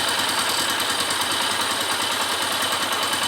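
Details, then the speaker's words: Suzuki KSZ motorcycle, about 2002–2003, after replacing engine bearings: even, fast idle with steady exhaust hiss from a small hole in the pipe and no bottom-end knocking or rumble; strange noise was only the bearings, engine now normal. "mas o motor em si tá tá legal tá ficou Ficou zerado era só rolamento mesmo"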